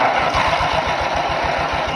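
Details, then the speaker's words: Allis Chalmers 616 Special garden tractor, salvaged non-runner cranked straight at the starter with spark confirmed: quick even firing pulses, about eight a second, fading within two seconds as it catches briefly on starting fluid, then dies; gas tank to be drained. "We did spray a little bit of starting fluid in there, and it was ready to fire right up."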